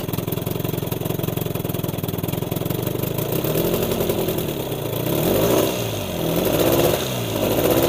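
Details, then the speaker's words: Old Evinrude 20 hp two-cylinder outboard, revived, revving in neutral: revs rise and fall unevenly but stay capped below full speed out of gear, which is normal; owner had mistaken this for an ignition fault. "Yep, so it doesn't rev up all the way without gearing. That's clever."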